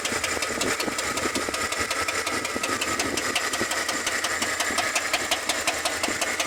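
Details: Chevrolet Tahoe engine at idle: a sharp, light ticking about three times per second over a steady idle, from a noisy valve lifter.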